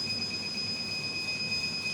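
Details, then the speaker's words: Rack-mount 2000 W 48 V low-frequency off-grid inverter UPS without MPPT, pre-shipment load test with load raised from 2300 to 2500 W: two piercing alarm tones over a hard-rushing fan. Overload protection switches the inverter off, and it restarts after a few seconds. "Alarm berbunyi ya. Oke, 2500. Inverter proteksi off ya karena ada kelebihan beban, dan setelah beberapa detik inverter akan hidup kembali."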